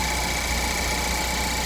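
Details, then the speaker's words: 2015 Ford Focus after a new serpentine belt and a quart of oil (the level had been barely on the dipstick); check engine light on, cause unknown. Steady, even petrol idle, smooth hum, no knocks, ticks or belt squeal. Normal idle. "I put a quart of oil. It seems to be running fine."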